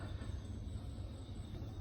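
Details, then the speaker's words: Samsung washing machine, about two years old, noisy during spin-dry, after replacing all four suspension springs: empty drum spins up with a steady, even low rumble, no knocking; steadier than before, normal spin. "เริ่มเร็วขึ้นแล้วนะครับถือว่านิ่งนะครับถือว่านิ่งกว่าเดิมก่อนหน้านี้ครับจะสั่นนะครับ"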